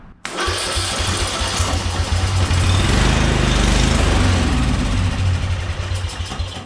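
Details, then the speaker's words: Murray Select riding mower, 13.5 hp Briggs & Stratton single: cranks, catches, runs roughly a few seconds with smoke, then dies as if losing spark; now soaked with fuel, plug possibly fouled, flooding suspected. "It definitely ran, and then it just died, like it lost spark. So why did it do that? It's now soaked with fuel."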